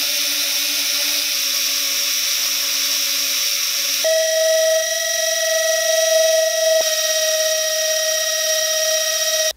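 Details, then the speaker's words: 11,000 kV 1103 whoop motor, previously oiled, on a bearing-oil test: a high, steady whine with a raspy hiss that jumps to a higher, cleaner pitch. The bearings in these motors are not great and can be a bit noisy. "v 11,000 kv 1103 motor the bearings in these motors are not really that great that can be a little bit noisy but they fly really well"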